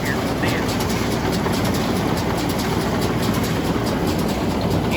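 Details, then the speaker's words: New Idea 483 round baler: steady clattering drone with a light repeated knock from a bearing that has worked slack on its hexagon shaft, worse as the bale loads up. "at little bit away a red sound right here is one of the bearings how that new idea you can see how it's got a hexagon shaft and bearing slides upon they get a little slack in them shafts and that start starts making a little bit of a a knock on your hay"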